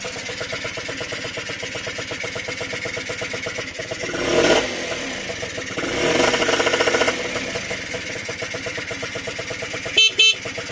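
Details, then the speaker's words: Restored Honda NH80 Vision two-stroke scooter at idle with a couple of throttle blips: steady, even crackle settling back smoothly; runs nicely, and the oil pump is confirmed working. "right as you can hear she's running nicely and the best part is the oil pumps working so that's good"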